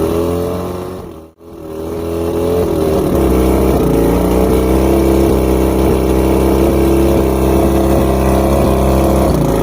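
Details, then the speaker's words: Multi-cylinder two-stroke outboard after plug check, fuel pump and carb rebuild and trigger adjustment: drone drops out briefly then picks up uneven with a thin chirp on top; rough idle and chirp persist, cause not yet found. "I still have a chirp, which is driving me nuts."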